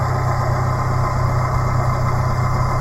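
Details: 2017 Suzuki APV manual minivan on ramps, idling after an oil change; low steady idle with even pulse, no knocks, ticks or squeals; oil pressure confirmed, no leaks at drain bolt or filter, drive belts look good.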